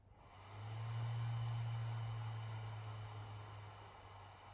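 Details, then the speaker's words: Atomos Ninja V monitor, about a week old, fan kicking up after switching between play and record modes: low steady fan drone swells, holds, then eases off, slightly less tick than before; occasional rattle at startup worries owner; cooling fan noise. "mode and see it after a little bit it seems to have gotten a touch quieter and noticed that there's a little less of a tick to the fan noise"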